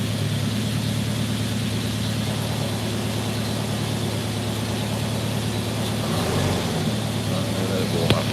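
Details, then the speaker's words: Mercedes W123 (S123 estate) idling after first start in nearly three years, low fuel; even, steady low rumble with no ticking, misfire or hunting; normal idle. "look at that don't sound bad at all does it three years I'm well pleased with that"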